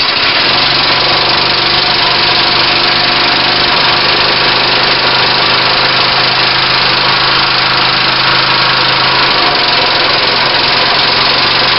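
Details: Briggs lawnmower engine running with a homemade oak connecting rod, first run after assembly: even steady single-cylinder putter at constant speed, no knock building.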